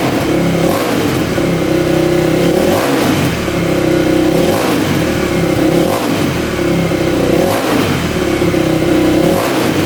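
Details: 2000 Yamaha WR400 single-cylinder dirt bike after stator replacement (no-spark fix) and engine rebuild (no compression); crisp revs rising and falling every couple of seconds, clean pickup, no knocks or rattles, starts every time; healthy.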